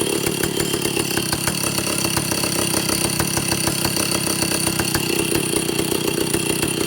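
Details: Vintage Stihl chainsaw, second test run after air leaks fixed, initial carb settings high 3/4–1 turn, low 7/8–1 turn, idle target 1,800 RPM, top no more than 10,000. Flat, ragged buzz that never climbs to a clean top speed; owner suspects carburetor third circuit.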